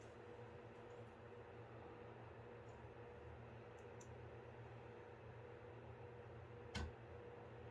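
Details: Apevia Venus Power Series 500 W power supply, about 4 years in service, after replacing its bad 120mm fan: soft, even whir with faint steady hum, no ticking or rattling; function test shows normal fan operation.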